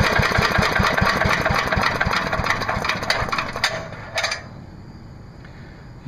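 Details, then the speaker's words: MTD Yard Machine chipper/shredder, 5HP Briggs & Stratton single-cylinder, after new spark plug, new air cleaner, oil change and fresh gas: quick, fairly even beat then shut off; runs smoothly after tune-up. "nothing really wrong with it wasn't a hard troubleshooting was it"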